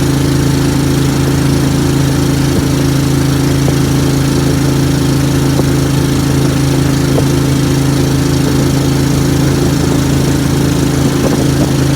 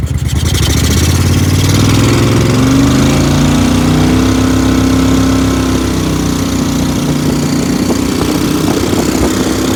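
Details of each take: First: Briggs & Stratton Vanguard V-twin dual-carb Mud Buddy boat motor, freshly rebuilt after flat cam, first ride on water: deep steady drone with throbbing pulse off the carbs, slight stumble; running rich. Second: Briggs & Stratton Vanguard V-twin dual-carb mud boat motor (Mud Buddy), freshly rebuilt after flat cam, half turn more fuel on cylinder two, AFR high twelves: picks up from idle, pitch rises to steady pull without stumbling; running much better, still rich.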